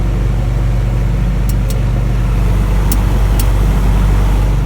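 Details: Ameristar package unit heat pump with a defrost problem, energized in the test: a few sharp clicks come and go over a steady low hum as the reversing valve shifts on command. It is working normally.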